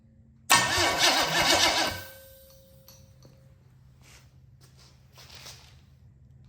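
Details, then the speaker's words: 1973 Chevrolet K5 Blazer engine on the floor, new flywheel and new starter bench test; about a second and a half of brisk, even cranking with no grinding or clashing, then quiet; starter engages cleanly. "new flywheel new starter let's see if it spins this motor over"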